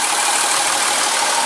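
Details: 2003 VW Jetta GLI 2.8 VR6 after replacing a bad ignition coil pack: steady, even idle with no stumbles, now running smoothly on all cylinders.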